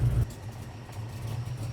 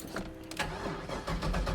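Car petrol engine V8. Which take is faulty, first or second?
first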